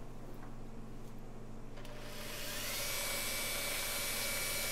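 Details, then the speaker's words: Makita 9227C polisher/buffer after grinding-noise repair and cleaning a ball of wool fibers from the air intake: spins up to a steady smooth high whir, no grinding or rattle; much quieter than before, normal running. "nice and quiet I think there's a little bit of noise I don't know if that's normal or not but basically it's a whole lot better than it was"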